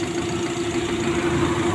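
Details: Nissan Almera petrol engine with dragging, low power and misfire idles with a steady hum and an uneven, lumpy low beat from a dead cylinder. A scanner power-balance test on each cylinder is used to find it.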